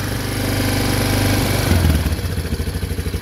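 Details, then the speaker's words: 2003 Yamaha Big Bear 400 (push-button 4WD) cold start on choke: low single-cylinder thump about three beats a second, smooth with no ticks or knocks, no smoke or leaks; normal healthy cold-start idle. "all right choke down runs great you can hear no uh no Weir ticks no knocks it's a strong machine"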